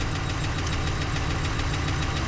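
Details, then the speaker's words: 2014 Ram 1500 V8 at idle, still misfiring after earlier repairs: regular stumbling thump and a tick, scan showing cylinder 3 and random misfire codes; relative compression test next. "on the fact that I hear this tick and we do have a dead miss here, just non-stop thumping."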